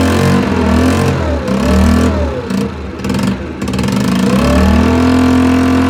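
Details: Longjia 50cc two-stroke scooter, run off a 12 V portable jump starter with no battery, after carb cleaning and electrics sorted: buzzes steadily, pitch rising and falling smoothly as the throttle is blipped, no misfires or stumbles; runs healthy.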